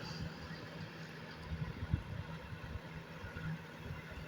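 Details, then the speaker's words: Comfort Zone space heater after repair of an intermittent switch suspected as a loose connection. A steady low motor hum and even air rush with no rattles or scraping; the fan runs normally. "I can set it at, 1300 watts and I can set it just fan only elements won't come on when it's on fan mode"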